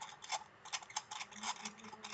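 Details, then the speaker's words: UltimaVape Banaspati hybrid mechanical mod (copper, single 18650/20700/21700 battery), clutch-style fire button with no magnet or spring; light irregular ticks and squeaky clicks with each press, no motor; owner finds the squeaky button sounds cheap. "The biggest negative I have regarding this this mod, the firing system is a clutch system, meaning it doesn't use a magnet or a spring."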